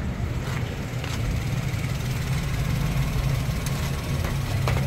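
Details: Toyota Wigo after fixing P0203 injector #3 misfire and clearing codes: steady, even low idle hum with no skips or stumbles; running normally on all cylinders.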